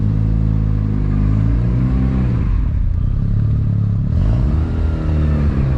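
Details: Mazda RX-7 FD rotary warm after about 10 minutes of idling, oil temperature at 70 °C: a buzzy idle that sags briefly then picks back up, otherwise even with no clatter; normal warm idle.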